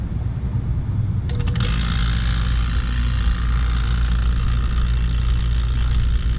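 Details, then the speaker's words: AC system after a refrigerant leak repair, evacuation with the micron gauge connected: vacuum pump kicks on and settles into a steady deep drone with no surging, pulling down normally. "just the hoses you can hear the sound of my pump going pretty deep"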